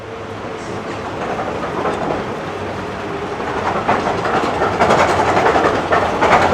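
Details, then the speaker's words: Snowdon Mountain Railway locomotive approaching on gradients up to 1 in 5.5: steady rapid clatter, roughly three or four knocks a second, swelling as it nears; cog meshing normally with the central rack. "now as this one approaches you can distinctly hear the cog rattling against the rack"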